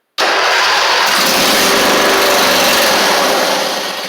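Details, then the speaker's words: Husqvarna YTH24V48 mower, 304 hours, no choke cable, carburetor fuel solenoid not clicking: steady fast starter cranking with no firing; cranks but won't start, fuel pump later found bad. "Awesome, so that's good. It'll kick over, but it's not gonna, I don't think it's gonna pull any gas in."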